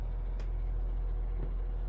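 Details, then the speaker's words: Crosley 12-inch oscillating fan on medium after its stiff motor bearings were oiled and its gearbox greased: smooth, even, quiet low hum with minor motor noise, no ticking or rubbing. Runs normally. "it is a very quiet fan minor motor noise aside here's a medium still pretty quiet"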